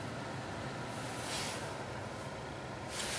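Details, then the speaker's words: 2003 Chevy Silverado 1500HD: blower motor keeps running with the truck shut off and door open, not retained accessory power; quiet steady air rush with faint hum, engine silent. Door accessory faults already fixed; blower cause not yet found (owner wonders about key fob battery). "and it's not like a retained power accessory or anything open the door I don't know if this key fob thing maybe needs a new battery but the blow is staying on right now itself"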